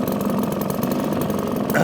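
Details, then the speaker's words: 1954 Atco kick-start mower with Villiers Midget two-stroke engine, just started on half choke after sitting seven to eight months; a crisp, even buzz with a steady beat and no misses. Running healthy. "now it baffled with me why people want to go battery power when you can listen to that absolutely fantastic little two-stroke engine"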